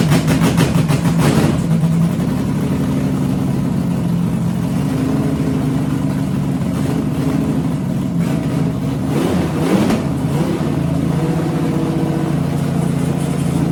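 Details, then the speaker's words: 6-inch rodded 350 Chevy V8 (HQ Holden Kingswood project), first runs after fixing the MSD box earthing fault; blips up and sags back, hunting and stumbling, never holding steady idle; owner notes a couple of vacuum leaks. "Doesn't like to idle."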